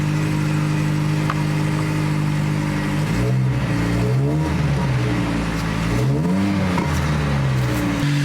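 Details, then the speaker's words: 2003 Ford Focus SVT ST170 with gutted cat and lunchbox delete, after cleaning the MAF sensor and air filter: steady idle hum that rises and falls cleanly with throttle blips, no misses or knocks; the owner thinks the idle is smoother, still no codes. "This might just be in my head, but I think the idle actually sounds a little bit smoother."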